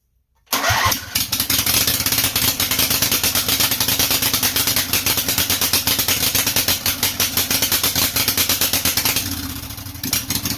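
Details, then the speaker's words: Briggs & Stratton Intek 18.5hp V-twin, traded-in engine, fuel solenoid removed and a little gas added, throttle/governor zip-tied: starts quickly and settles into a steady even beat, no misses or knocks; runs cleanly. "i would say that that should do pretty good and we'll call that a win"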